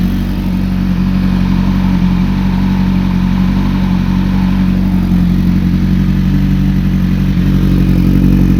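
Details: 2008 Kawasaki ZX-10R partly warmed up (about 162): steady mid-pitched drone with a faint, regular rapid knock about four per second that does not fade; cause unknown.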